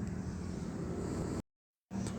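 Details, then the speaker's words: Repaired starter motor (dinamo starter) bench-tested by jumpering the main cable to the solenoid switch; it spins freely with a steady low hum, stops, then spins again with no grinding or dragging. Normal operation. "Nah, itu jalan ya. Jadi di sini itu saya jumper antara kabel utama yang besar satu dengan solenoid switchnya kita jumper, maka dia akan merespon kalau memang kondisi sudah normal."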